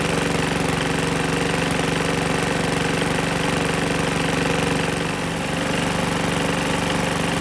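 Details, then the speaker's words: PowerSmart 21" DB2194PR push mower, RATO 170cc engine, curb find, running with the bail bar clamped: steady run with a hard, regular, clanky knock about three times a second. Oil fills the top end when it sits and blows out the exhaust. Engine knock, cause unclear. "okay I think it's time to call it quits on this one it's knocking like crazy"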